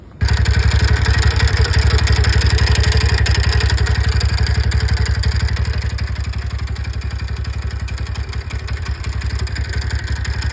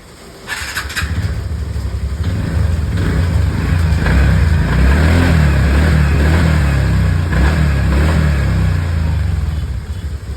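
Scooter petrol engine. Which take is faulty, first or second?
first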